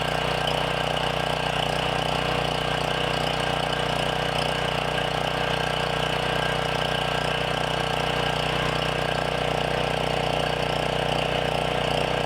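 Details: Briggs & Stratton generator engine after sitting 6+ years, with replacement carburetor, custom air filter assembly, tune-up, throttle set for 122 volts: steady, even drone at constant pitch, no misses, surging or knocks; running smoothly.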